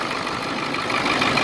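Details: Ford Excursion 7.3 diesel after replacing the seized pulley/tensioner housing and frayed belt: steady, even idle, smooth hum, no squeal, chirp or slap from belt or pulleys; running clean.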